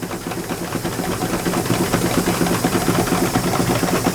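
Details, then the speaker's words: Miniature steam engine in a collection, first run in 19 years: quick fairly steady chuffing about two beats a second under steam hiss; engine overspeeding on too much air, needs throttling back. "so you start slowing that down giving less air to it and then the other ones start to pick up so it's a little bit too much and this one's going too fast"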